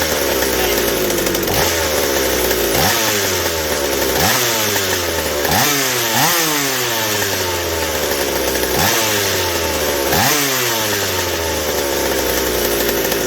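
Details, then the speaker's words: McCulloch 790 chainsaw fitted with an MC101 kart engine, new header and pipe, 3D-printed intake gasket and carb adaptor, first fire-up: blips rise then sag without holding a clean top note; the carb can't deliver enough fuel at high speed, running lean. "not quite the high speed response is lacking still and it isn't it just isn't able to feed enough at the high speed to just hit that four stroke note"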